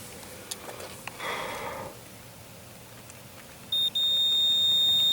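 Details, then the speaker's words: 1982 Camaro horn circuit, after sitting two decades. A jumper wire runs from the relay socket to the connection, and the continuity tester gives a steady high-pitched tone. The relay-to-connection circuit is good; corroded connectors had earlier blocked continuity. "good which means a relay to that connection is good"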